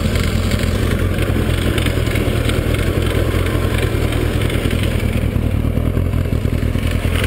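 Steady fast idle with a faint regular clatter riding on the exhaust note: a motorcycle engine knocking, cause not identified.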